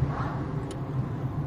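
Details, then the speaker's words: After a dealer lubricated the dust boots on the suspension struts with WD-40, there is steady low road rumble while driving. The earlier frightening squeak from the trunk area is gone, and the suspension sounds quiet and healthy. "в общем обычная вэдэшкой смазали все весь звук прошел"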